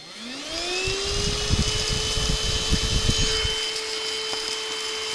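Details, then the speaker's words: Onson battery stick vacuum: suction motor spins up to a steady high whine with loose handling knocks but the floor-head brush roll does not spin; the negative (black) wire inside the swivel joint was cut. "When I turn it on, this attachment doesn't work anymore. So if I turn it on right now, you'll see that the brushes don't move at all."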